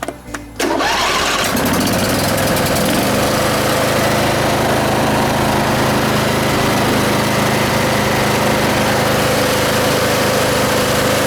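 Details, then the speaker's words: John Deere mower, started to warm up before an oil drain: catches within a second of cranking, then settles into a steady, even run with no misses or knocks. Normal idle. "it's crank I mean it's cranking right up and running great so what we're going to do now we're going to start it up let it warm up"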